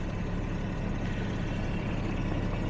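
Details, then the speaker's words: 1970s Jaguar (1975 XJ6 or 1977 XJ12) at 750 rpm idle in gear with headlights, electric cooling fan and AC on, alternator holding about 13 V: low deep steady rumble, note changes slightly, no dipping; normal idle under electrical load. "put that on here in the engine note change a little bit that's the alternator loads up easy still staying there at 13th"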